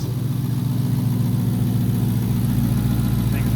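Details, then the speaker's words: 5.7 Hemi V8 just started after installing intake manifold spacers and a thermostat, fuel system reprimed: deep steady idle burble, even firing rhythm, no misses, ticks or hiss; idling normally. "And then go ahead and fire it up once that pressure's back. There it goes."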